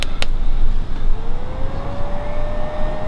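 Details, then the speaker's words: MPT-7210A solar charger cooling fan; the original failed fan, suspected bearing, is loud and whiny: a thin whine climbs as it spins up, then holds a steady pitch over the background rumble. The replacement fan is much quieter. "you've heard it before it makes a heck of a noise so these things are really loud and whiney"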